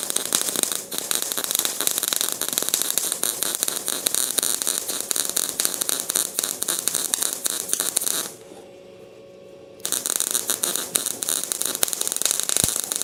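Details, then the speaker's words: Welding arc running badly with a harsh, uneven crackling, stutters and a brief dropout instead of a smooth steady sizzle; welder suspects a poor ground connection, cause not confirmed. "I can't believe this is going so bad. It acts like it isn't good ground."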